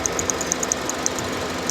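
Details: Radiator fan circuit check with engine idling: relay clicks sharply but fan never runs; relay has power and ground but no signal from temperature sensor or computer; radiator fan motor failing intermittently, later replaced.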